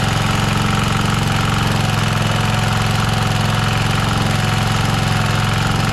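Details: Rover Ranger ride-on lawn mower, outdoors after fixing no-spark (points cleaned and gapped to 20 thou, coil gap set, flywheel cleaned, carburetor lubricated, air filter re-oiled): steady, even single-cylinder putter at quick idle, no misses or knocks; runs smoothly.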